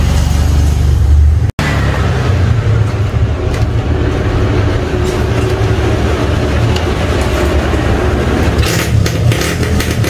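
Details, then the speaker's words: Standard Yamaha RX King two-stroke that is hard to start when cold, now slightly warmed up: steady crackly burble picking up cleanly without stumbling; engine running properly once warm, not a serious problem. "tuh udah tau mesin nya udah agak panas sedikit jadi karena panas dapat menarik lagi jadi buat temen-temen yang ngalamin kejadian kayak gini nggak usah terlalu parno ya teman-teman"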